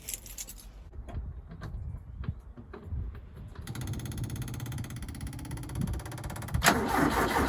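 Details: Ford Capri with new electric fuel pump, set timing, new cap and rotor, HT leads; battery 12.48 V, starter churns slowly and unevenly about three seconds before catching and running, during a starter B-post voltage drop test; battery suspected worn.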